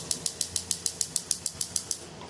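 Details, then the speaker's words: Gas stove spark module igniting all burners, knob turned to light: sharp, even ticks about six per second, all alike, in a quiet room; the igniter sparks normally and the gas lights. "It does spark on all of them. All right, see that spark and the gas get ignited."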